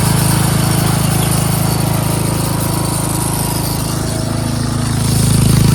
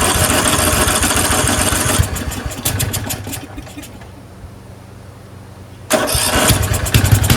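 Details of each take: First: Craftsman 13.5HP 30-inch rear-engine riding mower after repairs, cutting grass: single-cylinder engine holds a loud, even low drone with no misses or surging. Runs well under mowing load. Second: Craftsman 13.5HP 30-inch rear-engine riding mower, off choke after a corroded carburetor was cleaned: fires, runs a couple of seconds, sputters out, then catches unevenly. Fuel starvation, later traced to a collapsed fuel line emptying the bowl.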